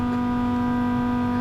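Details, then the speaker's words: Land Rover Discovery Td5 diesel with the key on and the engine not running, during a diesel leak hunt near the fuel filter: a steady, loud electric whine at one pitch, the fuel pump priming. Noisy fuel pump whine. "so let's have a look at thisy yeah it's got to be a noisy fuel pump you might see with the fuel pump G yeah there it is"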